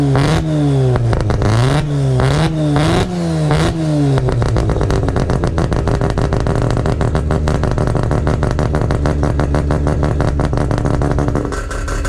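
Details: Mazda RX7 FC, billet semi-peripheral/bridgeport 13B rotary, first start after new wiring loom; sharp rev blips then fast even choppy idle, music partly covering, sounds healthy.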